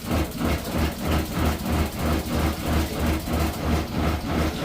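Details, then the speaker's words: Food truck water heater on propane running during inspection, with the Seaflow water pump on its switch: steady, even deep pulsing tick about three beats a second; normal water heater and pump operation. "there's your water pump you can hear it the water pump the water heater is working"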